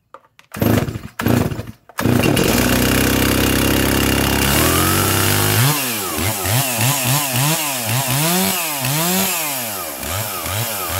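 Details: Junkyard Stihl 036 chainsaw, rebuilt with MS360 clutch and 20-inch bar, carburetor already tuned; fires after a few pulls, holds a high buzz, revs climb and drop crisply on blips; healthy running.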